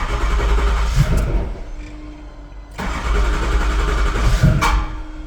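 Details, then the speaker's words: Used 6.0 diesel freshly installed in a truck, first start attempt on a battery jump box after fresh oil: strong even cranking about four turns per second, no grinding; starter works normally, though cylinder two later shows a dead miss. "starter sounds good all right that feels okay"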